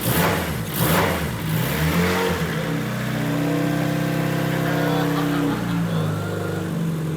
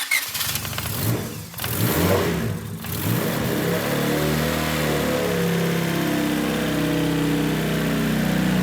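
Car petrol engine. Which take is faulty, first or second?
second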